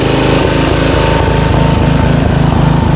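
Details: Snapper Hi Vac mower that had a starter Bendix not engaging the flywheel, now started: quick, even chuffing from the small single-cylinder engine with a steady beat and no misses. Running fine.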